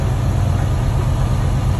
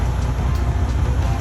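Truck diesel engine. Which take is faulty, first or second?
second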